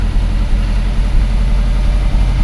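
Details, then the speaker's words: 2004 Subaru Forester EJ20 turbo, low power when cold, after repair restoring injector current: deep, steady idle with slight lope, no skips; a bit rough, expected after repair, no misfire. "A bit of a rough running, but that's expected after repair, but there's no misfire."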